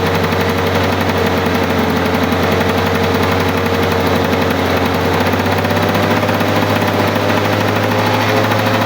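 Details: 1985 Lawn-Boy 7350 two-stroke mower that sat outside for years, revived: loud, steady, fast buzz at constant speed with no stumbles or surges; normal healthy running.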